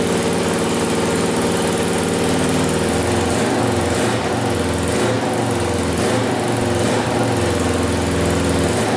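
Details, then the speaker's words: 2000 Can-Am DS650 quad, single-cylinder 650cc, freshly rebuilt top end, restarted after brief oil leak: steady idle a touch fast, light cam chain ticking now quieter; idle high, owner suspects carburetor needs adjusting. "it is idling still a little bit high i feel like so i might work on that carburetor a little bit and see if we can get it to idle a little bit lower"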